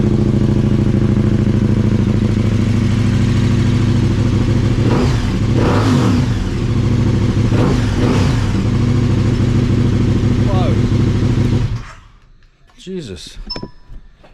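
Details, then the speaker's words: KTM 1290 Super Adventure motorcycle after spark plug change: steady idle with two crisp throttle blips then shutdown, responsive with no odd noises; slight throttle response improvement — normal running. "I'm just gonna quick reaction in the throttle here that's like a really slight Improvement already"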